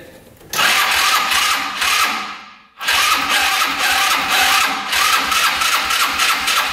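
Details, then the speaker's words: Yerf-Dog Scout 4x2 UTV, sat outside for years: brisk even cranking with throttle open during a compression test, no weak strokes; good compression, 172 psi against the 100 psi hoped for. "all right let's see oh good compression 172. that should suffice"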